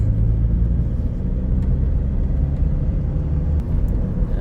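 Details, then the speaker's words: Ford Ranger diesel after injector repair (previously started but would not idle and stalled), road test pulling away gently in 1st and 2nd gear: deep, even rumble, no knock, good acceleration; normal acceleration. "โอเคนี่ออกตัวเบาๆนะครับตัวเกียร์1เกียร์2นะฮะผ่านนะครับไม่มีเสียงแล้วก็อัตราเร่งดีนะครับ"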